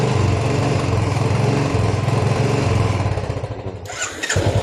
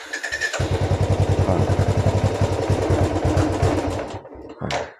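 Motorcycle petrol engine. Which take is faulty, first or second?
second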